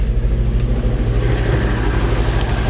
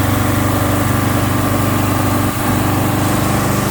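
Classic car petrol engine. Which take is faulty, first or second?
second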